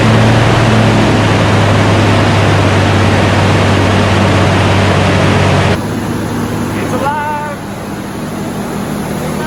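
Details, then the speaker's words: 2002 Jeep Wrangler, freshly installed S&J Engines 4.7L stroker replacing the 4.0, just after first start. Steady, even fast idle of about 2,000 rpm for the 15-20 minute cam break-in, with a smooth, unbroken drone. Normal fast idle. "all right so what we're doing right now we're breaking in the cam gonna run this thing about 2 000 rpms for about 15-20 minutes but it is alive everybody"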